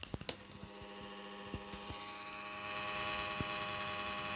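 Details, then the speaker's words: Laptop cooling fan running: steady, shrill whine with buzzy overtones that swells louder partway through, with vibration from a stiff, dirty fan bearing, before the fix. "Okay, this is my laptop and my laptop has producing big irritation sound you can hear"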